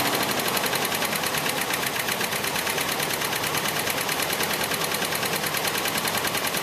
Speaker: all right so you can hear how rough that sounded um and it'll hold idle just really bad